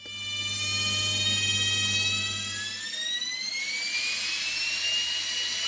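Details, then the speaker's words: Washing machine motor just after brush replacement: whine climbs sharply as it spins up with a harsh rasping edge; one brush had been fitted at the wrong angle (its moulding fits two ways), causing the racket, later corrected. "So this one can be at the same angle as the other one, which is how I put it back on, which is why it was making the racket."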